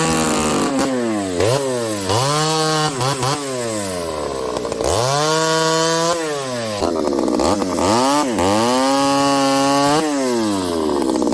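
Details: Ported Homelite 922 chainsaw after clutch and fuel line fix and cooler heat-range plug, cutting very hard wood with punky spots: screams up clean, bogs smoothly into the cut and recovers fast; running strong and healthy.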